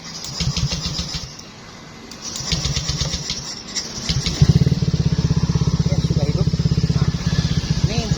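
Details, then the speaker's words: Used Fario 125 motorcycle, test start after the engine was split and rebuilt again, with leaks being checked: a few starter churns, then a steady, very smooth idle. No knocks or rattles, a normal idle. "suara mesinnya sangat lembut sekali ya, Teman-teman."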